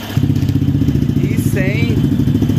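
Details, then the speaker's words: Yamaha XTZ 250X (Lander X) after a foreign iron object entered the engine, stalled it and was expelled through the exhaust; idle now steady, even low single-cylinder thumping with no knock or rattle. Piston, cylinder and head not condemned; normal idle. "então É isso aí galera o barulhinho dela ficou bem bacana esse escapamento e faz um barulhinho ficou bem bacana o barulho do motor"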